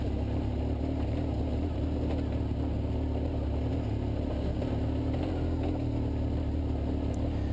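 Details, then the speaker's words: BMW 1150GS chugging at low RPM up a long uphill off-road trail, not spinning the rear wheel easily: low, steady chugging with no misses or knocks through ride noise; healthy engine running normally under load. "now you can hear this is the actual sound from the 1150gs and you can hear that this thing is just chugging up this hill here low RPM you know it doesn't spin the wheel so easily as the uh the 800 does"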